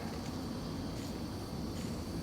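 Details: 1995 Ford Crown Victoria LX, old idler pulley removed and spun by hand: soft, even whir with no clicking or grinding, a smooth bearing, unlike the rough tensioner pulley.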